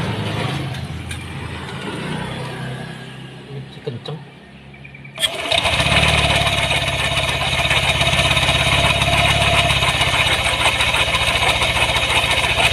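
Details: First-generation Yamaha Aerox 155 with oil pump cover off: starts and revs with a rough, steady metallic clatter; metal fragments found inside resembling a crankcase bearing's rollers, suspected broken bearing.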